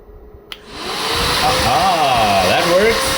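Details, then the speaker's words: BMW G310 R radiator fan motor after brush cleaning and resoldering, bench-tested: spins up within a second to a smooth, steady whirring hum with a clean pitch and no scraping or ticking; normal operation. "One test two still works. Test three still works. Fine. I guess this is going to work for a while for me. I'm okay with that noise."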